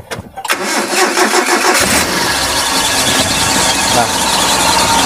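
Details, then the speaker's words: 2004 Suzuki Carry Futura pickup, carbureted, cold start: brief crank, catches at once and holds a steady idle without warming up, slight fan belt noise while cold; normal cold start. "langsung jreng Biasanya kalau karbu agak memang masih dingin dia perlu dipanasi dulu gitu biar biar apa namanya biar dia stasioner gitu tapi ini eee sekalipun Masih dingin dinyalakan tetap ada stasioner"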